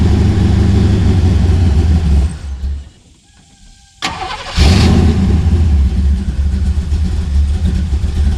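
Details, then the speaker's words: Cammed Chevy C10 V8 after tune-up, sat for months with carburetor thought to be dried out, previously missing: cranks, catches and settles into a loud lumpy cam idle firing steadily, no dropped beats; miss gone, normal cammed idle. "that sounds it sounds for helping that miss is gone so we measure what we did not sure what was going on it's been missing"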